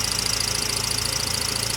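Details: Idling engine with a fast, pulsing high-pitched squeak, about eighteen chirps a second, from the transmission/clutch area that stops when the clutch pedal is pressed partway; owner suspects throw-out bearing, no rattles.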